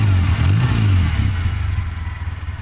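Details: Toyota 4K engine that would not crank because of a broken ampere gauge connection, now reconnected; low, steady rumble catches and settles into an even idle with no knocks or misses, running normally.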